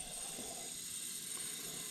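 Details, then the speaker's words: 702 GMC V12, engine stopped, leak-down test on a cylinder with valves closed: steady airy high hiss as air escapes, cylinder won't hold pressure beyond 60 psi; broken piston ring found. "Oh, It's not holding any. no, it's not. It'll build up to 60 pounds."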